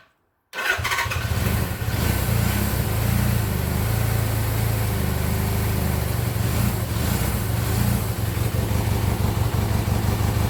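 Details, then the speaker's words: 1979 Suzuki GS750 sitting since 1984, first start attempt with choke on: deep, uneven low rumble with ragged firing that keeps trying to catch but never settles into a steady idle; it fails to start. "oh listen to that it's hidden let's take chuck off it wants to almost"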